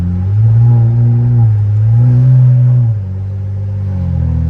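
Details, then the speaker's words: Fully built twin-turbo BMW N54 engine with MMP 53/53 turbos, after high pressure fuel pump replacement, driving at light throttle: steady smooth drone, no knocks or misses, no spool audible; running well. "So, all in all, more or less, we got a few things to fix, but it looks like the build was a fucking success, baby. She's running great. Nice and smooth."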